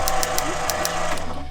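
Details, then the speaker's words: 1966 Ford Galaxie 390 big block, sat 35 years, cranking without spark plugs after points regapped to about 0.3–0.4 mm, condenser and original coil reconnected: sharp, uneven ticks over low cranking drone, points firing the coil; ignition working. "so condenser and points now played with original coil reconnected we should have some ignition we'll have a bit of a listen to it [Music] [Applause] tick tick tick"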